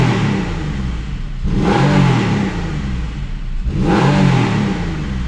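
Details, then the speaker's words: Porsche 911 996 after IMS bearing and RMS work and a lighter flywheel, previously making a rattling tappy noise: two quick rev blips, climbing and dropping fast, smooth with no tapping or knocking; noise gone. "There's no like tapping sound or knocking. Sounds or smooth. Really smooth. The noise is gone."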